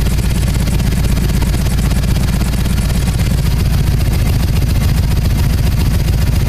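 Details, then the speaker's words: Harley-Davidson EVO, Magneti Marelli fuel injection, about warmed up after TPS reset and warm idle screw setting: loud even V-twin idle, deep and steady with no misses or stumble; healthy idle. "and it sounds like it's about warmed up already probably a good time to take it for a test drive"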